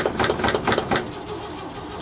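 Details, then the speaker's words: 1960 C60 truck with straight-six, cold start, little exhaust (leaks): quick even starter chugs fading to low rumble, cranking repeatedly without catching; extended cranking before start. "maybe it won't start I don't know we'll p choke out a little bit"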